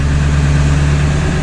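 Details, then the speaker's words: 2000 Ford F-350 7.3 diesel after PCM removal and tuner chip repair, stock tune, high idle engaged: deep, even drone at raised steady speed, no misses or knocks; high idle working normally. "First stage, which is like 50 horsepower. Second, third stage on up. So it looks like we're back in business."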